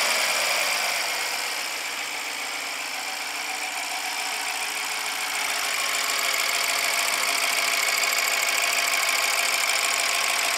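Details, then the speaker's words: 2014 BMW 650 with N63 engine, first start after the failed timing repair, on a jump box: an even, steady idle with a smooth fast ticking under a bright hiss, no weird noises, no knocks; normal idle. "so there we go okay on sounds good starts to run brought back to life no weird"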